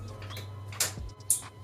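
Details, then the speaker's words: 1980 Honda CB750 after being unstuck from sitting, key in run with a loose ignition wire: two sharp clicks, no cranking, lights dropping out; owner suspects the starter solenoid. "It's clicking. Now we don't have any lights. Oh, now we do. Alright, that sounds like a starter solenoid."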